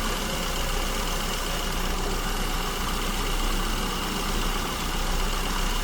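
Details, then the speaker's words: SU-carburettor car at idle, tuning mixture with tachometer, vacuum gauge and wideband (lambda about 1.09–1.10): steady idle with a slightly uneven, hunting beat, no knocks; mixture too lean, being richened toward the first stable idle point. "Okay, so since we're running too lean, I need to richen it up, and once again I'm going to shoot for that stable idle point."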